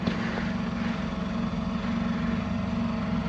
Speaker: so that is actually the fuel pump just picking fuel up there now so let that run the second